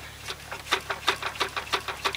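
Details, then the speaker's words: Junked engine, off, crank turned by hand from fan-shroud side: sharp metallic clunk about three per second, noticeable play; suspected spun rod bearing on number 3 cylinder from overheating, over-revving and oil starvation, crank damaged; unconfirmed. "I'm going to try and turn this by hand and walk backwards before we should be able to hear a clunk roughly and that side of the engine there's a guessing it's on that number three cylinder"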